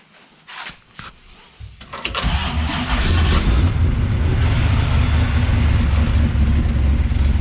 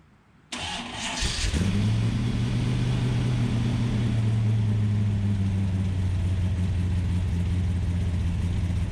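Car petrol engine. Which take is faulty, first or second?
second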